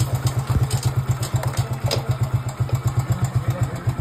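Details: Hero Glamour motorcycle single-cylinder engine idling after a gear-shift fix and oil refill; a steady, clean thump at about four beats a second with no clatter, a healthy idle, with gears shifting through fourth.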